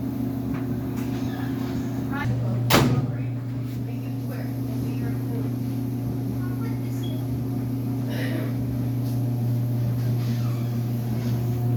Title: dryer making loud noises